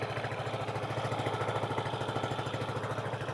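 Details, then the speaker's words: Renegade 125cc after fitting a rockwool-packed 45mm x 140mm baffle to the top exhaust pipe, which was previously a straight pipe: quiet, even idle with a soft regular putter and light internal ticking, no rasp or blowing from the pipes; healthy. "yep sounds lovely it sounds like it should the engine is so quiet you just hear the workings slightly ticking over inside the exhaust pipe is sweet both of them"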